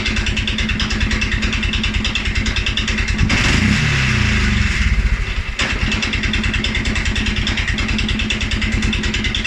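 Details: 2011 Polaris Sportsman 550 XP, EFI: steady thumping idle, short throttle blip, then dips and stumbles into low ragged idle; also stumbles cold on startup. Dealer found TPS, IAC, TMAP in spec; valves, timing, new plug, 43 psi fuel pressure good; cause unknown.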